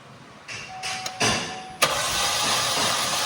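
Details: Chevrolet Trax LT that sat in stock and won't start despite new fuel pump and ignition coil, cranked for compression test on cylinder 1: starter spins fast and light with no compression pulses; suspects a bent valve from stale gas.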